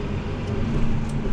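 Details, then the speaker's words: New Holland T8.300 tractor with the park lock coil off: the deep diesel rumble bogs under load against the engaged park lock and stops when the clutch pedal is pressed. It is not pushed further to avoid damage. "You see the way it stops when you hit the clutch pedal? Yeah, we can't go any further. We'll tear something up."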